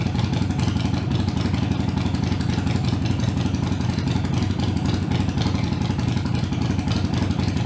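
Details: Harley-Davidson Iron 883 around a Sejati Booster setting to reduce engine heat, played for before/after comparison: deep, loping V-twin idle thumping steadily at about 230 beats a minute, no backfires or clatter; healthy, even-running engine.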